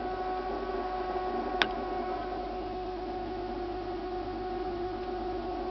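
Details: Refrigerator making a constant, layered, almost siren-like whine with several steady tones over faint fan hiss, lasting about two minutes; owner considers it abnormal, not a normal fridge noise; the ventilation fan starts up afterward.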